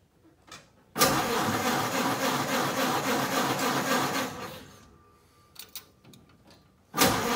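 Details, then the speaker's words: Ford Model A that won't start: starter churns about three and a half seconds, stops, cranks again, never catches or fires; crank no-start, cause not yet found. "So here I am in the Model A with somewhere to go, and the Model A doesn't want to start."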